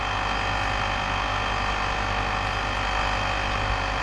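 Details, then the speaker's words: Three-phase lab motor running after start push button, rpm not measured: smooth constant hum with steady whir, no grinding, knocking or surging; motor turning evenly and healthy. "Anda boleh dengar pergerakan bunyi lah, bunyi tu punya motor pusing ni."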